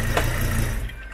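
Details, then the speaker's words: Fiat Marea 2.4 shifted into reverse; low engine rumble with a single heavy thud as it engages, engine rocking because the mount moves too much; clunk suspected as broken engine mount rather than gearbox; broken engine mount. "e o suporte tá mexendo demais está movimentando muito pessoal"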